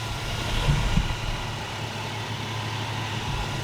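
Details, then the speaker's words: 2002 Chevy S10 Blazer, bought cheap, first run after the floor mat had been pushing the throttle: low, steady, even idle with no knocks or squeals, running nicely on the alternator alone with the battery cables off. "so this is good this thing runs nice"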